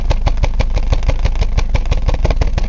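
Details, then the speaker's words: 1999 Ford Escort ZX2 2.0 L DOHC Zetec, mic at tailpipe, cylinder 2 at 25 psi and heavy blow-by: lumpy idle with strong exhaust pulses that suck paper toward the pipe; owner suspects a practically dead cylinder or head gasket. "it's actually kind of want to pull it it's tearing it out of my hand of course I can only assume that having a cylinder that's practically dead would give you the same result"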